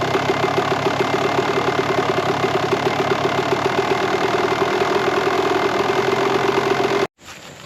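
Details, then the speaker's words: 1998 Kawasaki KX125 two-stroke, rebuilt OEM carb, started quickly on choke: fast, crackly idle at steady pitch with slightly uneven firing before cutting out; jetting still a bit rich, so the carb is being pulled to swap the pilot and main jets. "Alright, so the pilot jet in here and the main jet are not still running rich. So what we're going to do is we're going to pull carburetor out and switch them."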